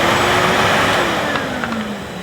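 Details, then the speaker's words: 2005 Numatic Edward Turbo vacuum cleaner, 1200 W max motor, switched on via single on-off switch; even, full-bodied roar with strong airy hiss and smooth hum dipping only slightly, no rattles or grinding. Normal, healthy vacuum motor. "But anyway, so yeah, he's a good machine. The motor sounds good."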